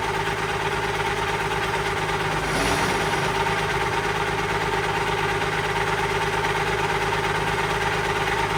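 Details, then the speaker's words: Allis Chalmers 190XT diesel tractor just revived: steady idle with a constant thin whine on top; owner thinks it is the alternator, possibly the hydraulic pump, unconfirmed. "And then that annoying sound you guys keep hearing, I'm pretty sure is the alternator, so I'll probably get an alternator coming too, and hopefully that noise goes away."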